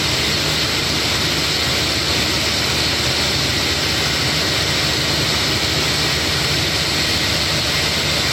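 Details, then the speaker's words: 2017 Toyota Tundra, 4.6L 1UR-FE V8, about 75,000 miles, idling: steady harsh hissing grind and thin squeak, louder on the passenger side, from a dried-out belt tensioner pulley bearing. "I could hear it I knew it's him I could hear there is some squeaking or grinding coming off"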